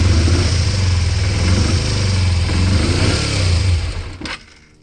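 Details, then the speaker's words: 1988 Kawasaki Ninja 250R, 250cc inline twin, long unused, choke partly on: a low, lumpy idle sags and cuts out after about four seconds. It died when revved because the carburettors were full of gunk, later cleaned. "right so I just put the whole bike back together since uh it was dying when I tried to rev it I took the car the carbs apart and uh clean them out they had a lot of gunk in them"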